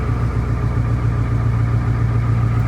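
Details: Ford 7.3 Powerstroke diesel truck, cold just after first true cold start following engine swap and alternator change, coolant temp reading cold; deep even rumble with steady beat, no misses or knocks; normal cold idle.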